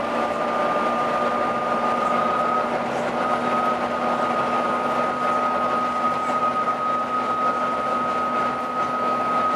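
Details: Arriva Yorkshire Volvo B9TL East Lancs Olympus bus (YJ57 BEO), route 202 Leeds–Huddersfield, driving: steady high-pitched howl holding one pitch over running rumble; source unknown.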